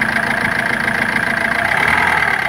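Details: Ford Figo with low pickup complaint, idling with slightly uneven, pulsing beat instead of a smooth hum; engine missing (misfire) at idle.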